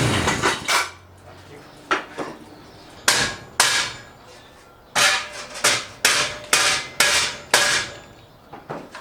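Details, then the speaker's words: Chinese clone Honda Rebel 250 engine: loud, sharp clanks in uneven bursts about two a second from the left case during cranking; the starter clutch is slipping, later replaced with a new one. "The horrible starter noise continues. Ended up buying a completely new starter clutch."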